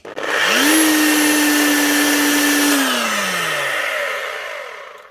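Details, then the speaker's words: Galeski Polifox wet polisher/grinder after a bearing replacement. The armature is sparking, possibly from new non-matching brushes. Motor spins up to a steady high whine, then winds down smoothly with a faint rough edge from the gears: slight gear roughness. "That is her up and running again with new bearings. But most certainly still not perfect."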